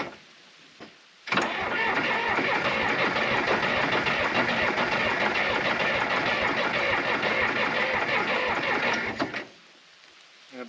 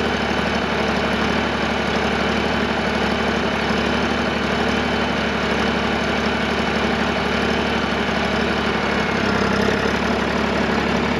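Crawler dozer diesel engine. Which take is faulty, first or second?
first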